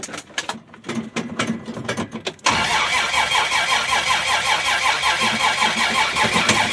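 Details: 1965 Dodge Dart, 225 cid Slant Six, cold start with some throttle, fresh gas, choke wide open; uneven cranking about 2.5 s then fast rough cold run, misfiring; hard starting from brand-new distributor cap's disintegrated carbon centre electrode.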